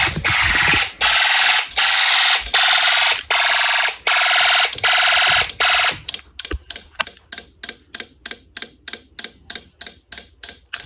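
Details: Homemade Snap Circuits fire alarm system test: loud shrill horn blasts about a second each, then rapid short pulses around three per second. Fire alarm horn sounding normally.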